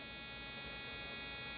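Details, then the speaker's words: RCexl DLE30 electronic ignition driven by a tester at high rpm, powered by an A123 2300 battery through a WrongWayRC dual inline-diode voltage reducer at about 5.25 V: steady, high-pitched even spark buzz with no dropouts; normal spark. "can hear the spark plug we're dialing it down with the tester so this ignition is sparking just the same as if you're running it on an airplane"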